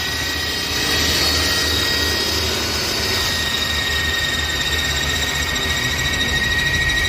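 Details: Mercedes-Benz idling with a steady high whistle over the engine, the sign of a faulty PCV valve leaking air.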